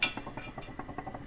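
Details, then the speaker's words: Jaguar XFR-S supercharger during a rebuild: light, irregular metallic clinking rattle about five or six times a second. There is heavy play in the front two snout bearings, and replacing them is recommended. "However, there's a lot of play in these front bearings, and that's making the charger sound quite nasty. You hear it rattling? Yeah, that's pretty heavy."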